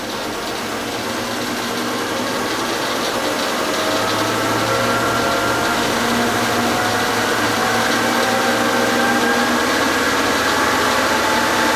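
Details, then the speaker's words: Lathe with a homemade off-center chuck, offset angle plate and V-block, spun up slowly to about 1000 RPM in a speed test. Steady whir climbs evenly in pitch with no knock or wobble; very little vibration. "Okay, we didn't get much vibrations at all. In this configuration, this offset, this angle plate and the V block and all the stuff on here"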